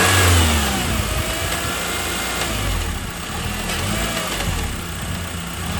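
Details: 2009 Honda Accord 2.4 petrol revving up and down, with a loose, uneven rattle over the drone at lower rpm. The cause is still undiagnosed.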